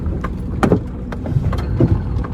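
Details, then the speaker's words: 2003 Toyota Highlander: dull low clunks thump through the cabin from the front at low speed over uneven pavement and a manhole, not at high speed. Cause is worn front sway bar links, fixed with a new pair. "yeah did you hear that you're that big clunk i think that's what she's talking about let's go for a short drive there's a little clunk there over that manhole"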